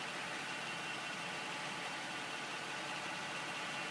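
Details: 2009 Acura MDX petrol engine at idle after A123 service, making a strange noise: a steady, airy hiss sitting high above a faint engine rumble.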